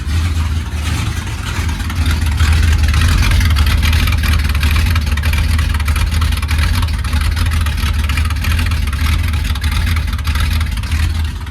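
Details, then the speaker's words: 1971 Ford F100 Sport Custom, 302 V8, 3-speed column shift, cold start after sitting since December 1: deep V8 rumble with light revs and a faint puffing tick on each firing, an exhaust leak right after the headers. "You can hear the exhaust leak right after the headers. I gotta get that fixed too."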